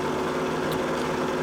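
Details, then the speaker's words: Mercury 115 inline-six two-stroke outboard idling 10-15 minutes after replacing out-of-spec aftermarket coils with OEM Mercury coils of about 900-910 ohms: steady, even rumble, no cylinder dropouts or misfire. Normal idle. "Anyhow, so now I got this engine running for, I would say, probably 10-15 minutes at idle. Everybody knows those two-stroke motors don't like idling all that much, but yet it keeps running. It doesn't feel like it has, as if it has any more misfire."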